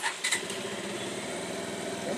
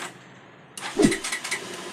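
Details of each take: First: Bajaj Pulsar after replacing a faulty 4-pin relay that was cutting power when moved: quick catch on the starter, then a steady, even single-cylinder idle with no stumbling or cutting out. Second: Bajaj Pulsar with a faulty 4-pin relay cutting ignition power: the engine only starts while the relay is held straight, then dies when released; after a quiet pause it suddenly catches and fires in uneven bursts, with a rev attempt.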